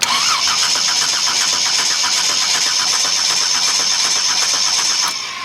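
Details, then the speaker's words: Chevy 250 inline six on a new starter, ignition on: starter spins the engine evenly but it never catches; no spark, traced to blown fuses, after erratic firing and backfiring through the exhaust or intake. "it's like we don't have spark let's put our spark plug tester"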